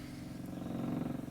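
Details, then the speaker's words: Coachmen Leprechaun 260DS RV water pump de-winterizing, drawing water from the fresh tank through the open valve and flushing pink antifreeze from the lines. A quiet, steady buzzing hum with a fast, even pulse and no rattle or straining. Pump running normally and now cleared. "you can hear the pump working running the pump running the water through the pump the pump is now cleared"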